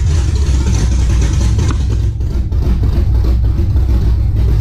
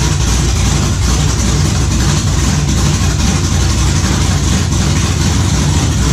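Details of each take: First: '91 Camaro Z28 with swapped 5.3L LS, Holley Sniper EFI, Texas Speed cam, open headers, warm: lumpy V8 idle hunts unevenly, needs throttle help; O2 sensor four inches from header end gives misleading AFR, running rich; rough idle. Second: '91 Camaro Z28 with swapped built 5.3L LS, Holley Sniper EFI, MSD ignition, Texas Speed cam, open headers, after fixing the pulled tach signal wire: loud, lumpy, steady cam idle, no misses or knocks; runs pretty good; normal idle.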